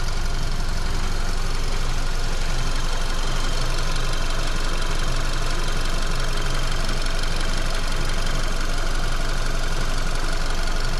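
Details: VW Golf Mk5 with 50,000 km, shortly after a shop fuel filter change: a steady engine hum with a light, regular rattle from the right side inside the car, caused by the fuel lines touching the body/frame. Later fixed with zip ties.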